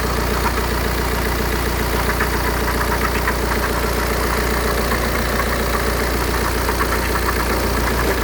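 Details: 2008 BMW 118d diesel idling with a loose, uneven tick about once a second over the clatter; unidentified engine noise at idle.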